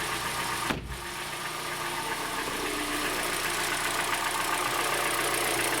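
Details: 2013 Hyundai Elantra 1.8 G4NB, about 86,951 mileage units, at idle: light regular knock about four times a second over a smooth hum; owner suspects piston, also considered rod bearing or hydraulic lifter; piston knock.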